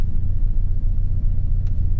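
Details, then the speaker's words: Turbo Honda tuned on Crome Gold, cranking fuel trim being adjusted: deep, uneven rumble just after startup, idle sagging and stumbling as if about to stall; post-startup mixture very lean. "I've been working on start up here I'm trying to get it dialed in I was pretty good but now after startup it kind of sounds like it wants to die it's very lean"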